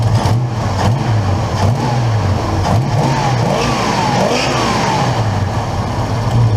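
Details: 1969 Mercury Cougar 351 Cleveland V8 just after replacing a worn-out mechanical fuel pump, with the fuel filter filling immediately: a steady, even low rumble with no misses, knocks or ticks; normal running, though a fuel leak was then found.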